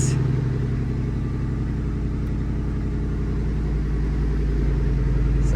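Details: 1999-06 GM Yukon/Tahoe-type Denali V8 after automatic-to-manual swap, first start after wiring the start circuit: deep, steady, even rumble with no knocks or misses; normal idle.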